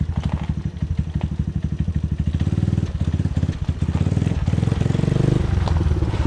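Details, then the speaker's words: 1986 Yamaha Moto4 YFM200DX single-cylinder ATV after draining bad fuel and adjusting idle and fuel-air mixture, riding on ice: uneven idle with irregular pops and stumbles, still burping; carb to be removed and cleaned. "it's still burping pretty good it sounds like yeah I hear it yep"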